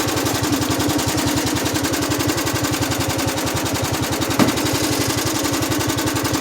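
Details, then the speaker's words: Honda GX75 mower engine at low throttle with the clutch engaged: steady, fast pulsing, almost four beats a second, an abnormal purring noise of unknown cause. "And with the clutch on it, it sounds like it's purring. It's not a cat, so it shouldn't be purring."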